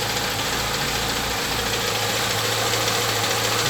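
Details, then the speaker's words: Chevrolet Niva, 6000 km, cold start after winter storage: light, regular ticking about three per second at idle, seemingly from under the valve cover; it stops when revved. Owner suspects the thin synthetic oil; cause not confirmed. "И появился стук какой-то. Пробег 6000. Вот смотрите сейчас. И похоже, что это из-под клапанной крышки идет стук."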